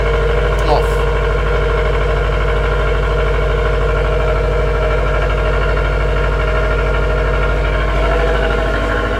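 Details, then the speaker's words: 2018 Subaru WRX STI with custom downpipe and tune, cold start in parking garage: deep fast cold idle with raspy buzzy edge from secondary air pump running, then it shuts off; normal cold-start behaviour. "that air pump is on right now and now it's off guys my mate has a AMG a 45 and you get this horrible cold start rasping that's very NIC normal"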